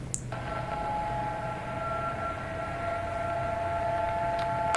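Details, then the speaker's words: Handheld radios, transmitter 147 MHz to receiver 441 MHz with low-pass filter on transmitter blocking third harmonic; weaker steady hum with constant tones between clicks, as transmitter fundamental hits receiver mixer product. "you can still hear the audible interference, and it's a little weaker because the signal levels aren't as strong."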